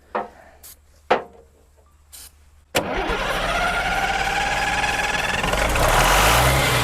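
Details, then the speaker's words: Diesel started without ether: after cranking bursts it runs ragged, rising and sagging, with a small leak at the fittings; crew says it has no good fuel prime and is sucking, suspected fuel starvation. "That sounds like my Labrador Retriever drinking water out of his bowl. Still, this don't sound like it's got a good prime."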